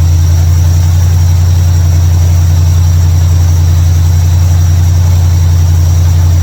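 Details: 1955 Chevrolet Bel Air after fixing ignition, electrical and fuel issues with a bypass switch and carburetor tuning: steady, even low rumble with a smooth regular beat, no misses or knocks; normal idle.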